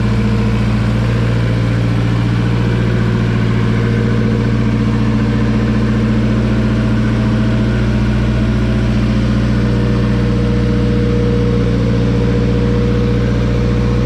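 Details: Turbocharged Honda B-series Civic EG time-attack build, newly running after months of work: low, steady idle with an even, slightly lumpy beat, no knocks, ticks or misses; owner notes earlier wiring and temperature issues; idles healthy.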